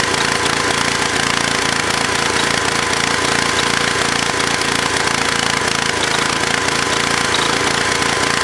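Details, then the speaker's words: Broken Kohler K341 single-cylinder on a low booster pack, with about 55–60 psi registering: loud, uneven thumping at about four beats a second while oil and grunge burn off; runs rough and needs tuning, the carburettor floods and the breather is suspected of leaking for lack of a gasket. "okay so some tuning is required and obviously just a lot of oil and grunge and crap burning off of it and I would imagine some of that's a breather leaking"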